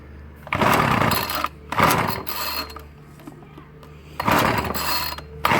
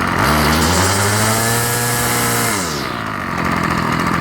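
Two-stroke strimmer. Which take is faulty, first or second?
first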